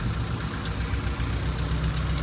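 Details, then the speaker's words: 2000 Honda City manual, idle after distributor timing adjustment and lowered idle speed; low, even thrum with no hunting or surging, no misfire, though exhaust still pops. "Yun swabe. Pero yung tambotso may ano pa rin. Pero hindi naman siya palyado. Nawala na yung gigil."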